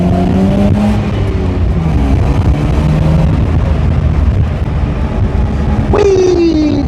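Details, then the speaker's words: 1983 Mazda RX-7 rotary on its first test drive after 2 years not running: a smooth buzzy note climbs evenly with each gear, then a clean rising pull. It feels like full compression with no power loss, so the apex seals seem fine after sitting. "like full compression I don't feel any power loss so that's good because I was worried that the Apex seal would have taken a hit from it sitting for so long"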